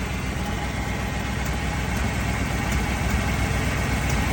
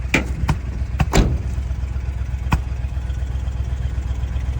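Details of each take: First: 1979 Dodge Ramcharger after 15+ years sitting, cold day, mechanical fuel pump primed and running: steady, low, even rumble at idle with no knocks or ticks between backfires; motor quiet and smooth. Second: 1979 Dodge Ramcharger after 15+ years sitting, started on a cold day with mechanical fuel pump primed: low rumbling quiet idle broken by sharp irregular pops about one a second; intermittent backfire, cause unknown, owner suspects a misfire.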